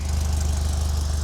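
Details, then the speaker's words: Rebuilt Alfa Romeo 2.0L twin cam, 11:1 compression, larger cams and valves, warming up: steady, smooth low idle but slower than it should be while cold; cold idle circuit needs raising. "So yeah, so I think we're at the point now where we're gonna work on the cold idle circuit. It should be raised up a little bit more than that while it's warming up."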